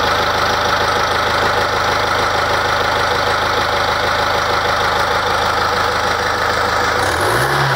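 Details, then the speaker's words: BMW turbo diesel after repair of a whistle: even diesel idle with the usual light clatter, no whistle or whine, faint exhaust resonance from a DPF filled with rock wool; normal idle. "Quindi avete sentito il la rumorosità è perfettamente in linea come qualunque motore ehm di questo genere"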